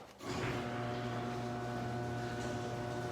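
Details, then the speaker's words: Garage door opener after lubrication: low, steady motor hum, smooth even drone, no squeaks or grinding. It used to be really loud and annoying and is now unbelievably quiet. "Oprah's used to be really loud and annoying and when we got a lubricated unbelievably quiet"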